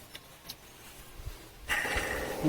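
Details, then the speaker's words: Toyota Hilux 4x4 engine running: thin whirring whine from belt area; compressor, power steering pump, alternator and other pulleys fine, belt tensioner pulley bearing worn, to be replaced with a 6203 bearing. "देखिए, ये जो belt register है ये आवाज कर रहा है, इसका बेयरिंग खराब है।"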